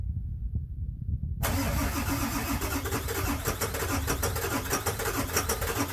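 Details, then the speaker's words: 1999 Ford F350 7.3 Powerstroke diesel, faulty glow plugs, cold start at -7°C with AMSOIL Cetane Boost, second try: brief crank then lumpy uneven clatter, not yet running on all cylinders; hard cold start from faulty glow plugs. "Oh, look at the force. it sounds like it's not even running on all cylinders quite yet."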